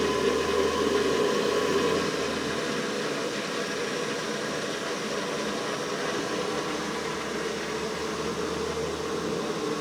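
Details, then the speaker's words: Navien NPE tankless water heater after circulation pump replacement, on propane: steady pump hum with fizzy, gurgling hiss settling after a few seconds as trapped air works out of the freshly filled circulator. "There we go. You can hear the air work its way out of the pump."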